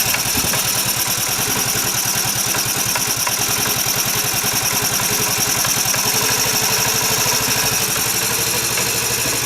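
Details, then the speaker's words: Velocity 150cc scooter single after cylinder head work, first start: putters along at an even, quiet idle with a light, crisp exhaust beat and no knocks or ticks; normal idle, sounds healthy. "It is running guys. They sound pretty good. They ain't real [Music] loud"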